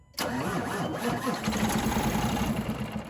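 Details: Diesel truck cranking slowly and laboriously for about three seconds, at times failing to start despite new batteries and a new starter; voltage drop is measured at the starter and across the in-cab battery disconnect switch, which drops about 1.5–2 V.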